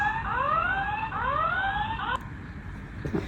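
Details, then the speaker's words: FA2000 face/fingerprint/card access control terminal beeps with repeating rising chirps after power-on: its rear anti-tamper button popped up when taken off the wall. Not a fault; mounting it on the wall presses the button and stops the alarm. "Why does it keep alarming after powering on? It's not broken because of this anti-tamper button on the back."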